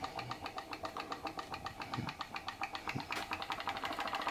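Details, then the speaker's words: PM Research glass Stirling engine (Solar Engine #7), base lifted to take tension off the Baker fan load: light even clicking quickening to about four beats a second as it spins up freely; normal running, speeding up when unloaded. "yeah straight away you can hear that engine that work straight away you can hear that engine"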